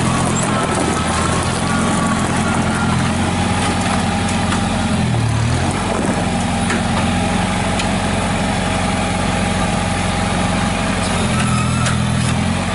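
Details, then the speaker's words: 1955 McCormick Farmall Cub tractor, owned five years, no blow-by, clean tank with stabilized fuel: low, steady, quiet engine note with an even rhythm and no knocks or misses; runs healthy. "you can hear how quiet that tractor is"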